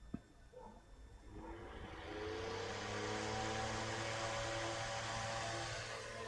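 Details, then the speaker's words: 1962 GEC Sprite desk fan, restored with repaired wiring and cracked plastic, blade friction-fit, first run after reassembly. The motor hums up from rest to a steady, even whir at constant pitch with no rattle; not silent. Normal fan running. "Pretty good. You can probably hear the, you know, it it's not silent."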